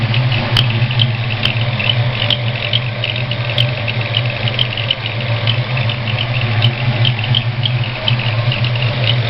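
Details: Ford 302 V8 idling: faint high whistling chirp repeating unevenly about twice a second from the number 1 cylinder; stops with both rockers removed and returns with the exhaust rocker installed, owner suspects a bad roller rocker.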